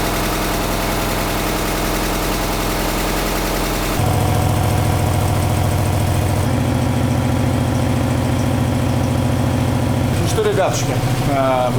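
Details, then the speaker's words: Alfa Romeo 156 TS Twin Spark after major engine rebuild to cure knocking, started to warm up at idle for half an hour; even steady low idle with regular pulse, no knock or tapping; normal idle. "всё альфи сы Господа закончили запускаем греем и на полчаса Ставим корча на холостом ходу"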